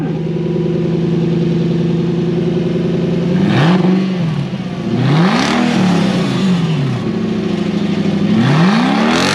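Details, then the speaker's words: Toyota 3UZ-FE V8 running normally after its dealer-bricked ECU was reflashed: smooth steady idle with three clean, even throttle blips, no misses or knocks; only a brake light switch circuit fault code remains afterward. "now it's been running it runs"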